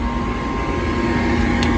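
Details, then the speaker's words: Furnace: steady blower hum with faint fixed tone, no igniter or burner light-off after igniter work; the cause was a clogged pressure switch hose. "That was not the issue, so I guess I gotta call the tech. Failed."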